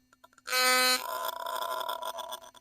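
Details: Philips Sonicare electric toothbrush sent in for repair, microphone held close: half-second steady buzz, then irregular dry crackling clicks like a Geiger counter; wires badly soldered, screw fallen off, coil suspected, not confirmed.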